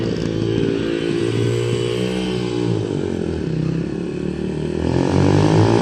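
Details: 2005 Yamaha 125cc dirt bike after fuel valve leak repair, yard test; idle piece broken, awaiting part: crisp single-cylinder bark rising and settling cleanly with throttle, no misfires or rattles; healthy.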